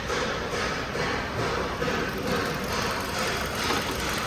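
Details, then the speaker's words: 2015 Kia Cerato shaking at idle: stumbling, uneven lumpy beat instead of a steady hum; scan tool misfire counter points to cylinder 4, spark plug looked fine. "شايفين الهزه اللي في السياره على طول يكون هنا في الاخر ادي التوتال كونتر مثل مو شايفين هنا مين هو اللي عم يعد لا هذا اوف تويتر هنا هنا هنا هنا سلندر الرابع اذا السلندر الرابع في مشكله نطلع"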